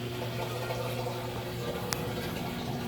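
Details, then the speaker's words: Samsung washer with 5E drain error, drain and spin cycle with tub full of water: steady low pump hum with water rushing through, no rattle; drain pump running normally, drain line blockage suspected. "oh that thing sounds good there's no rattle to that at all i don't know why these new samsungs have all that pause to them"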